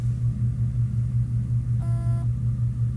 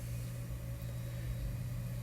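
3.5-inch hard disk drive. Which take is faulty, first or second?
first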